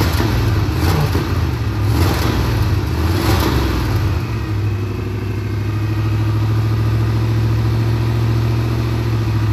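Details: Big-block Monte Carlo street car, just got running and timed after rear end install, distributor still to be tightened: big V8 loping at a steady fast idle, deep even rumble, no knock or miss; normal running.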